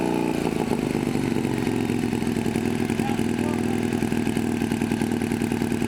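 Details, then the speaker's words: Harley Shovelhead chopper with a knockoff S&S carb, after the throttle cable fix aimed at the high idle. A steady, even loping beat with no misses or knocks: normal idle, though the engine smokes heavily. "so we got it started and now we finally got it idling as you can see"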